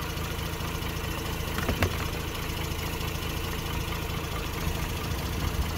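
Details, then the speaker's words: 2006 Mazda RX-8 rotary with hot-start trouble, owner suspects low compression from failing apex seals, new starter fitted: low, buzzy, slightly lumpy idle; Picoscope coil tests look similar, so any misfire is not ignition-caused and the cause is unconfirmed. "okay so you can hear the lumpiness that's fine"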